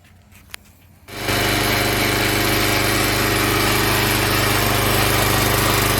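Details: Log splitter Briggs & Stratton engine 126T02 after repair: carburetor cleaned, speed set to about 3100 rpm spec, valve underneath two turns out from seated. It catches after a quiet start and holds a steady, even high-speed drone without surging; running much better.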